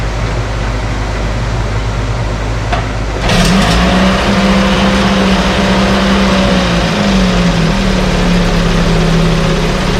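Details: 1968 Evinrude Fastwin outboard in test tank, out of gear, no load, untouched, Sea Foam in fuel: catches and settles into quick even idle, steady low burble, no misses, no cold-start cough; normal idle.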